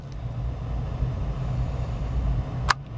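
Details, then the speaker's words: 2000 Chevy Blazer heater blower after blower motor resistor replacement (previously only speeds 3 and 4 worked), running on setting two: smooth, steady low rumble with no squeal or scraping; normal blower fan operation. "I should hear uh setting one come on when I flip this over and I do hear it I don't know if you can hear it or not crank it up to two"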